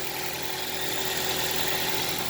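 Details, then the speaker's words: Toyota Celica idling just after the timing chain tensioner was replaced. A smooth, even petrol idle with a bright hiss and no chain rattle. The slight clicking heard before is gone, likely because the old tensioner wasn't keeping the chain taut. "I think the the slight clicking sound is gone okay so maybe with the old tensioner it's not it wasn't providing the right function"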